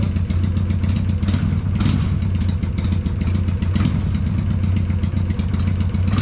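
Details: Freshly built Hammer Performance 1250 Harley Sportster (ex-883) during break-in warm-ups, no cam work: loud V-twin revving with fast clattery tick over exhaust beat; owner suspects oiling, unconfirmed; top-end ticking.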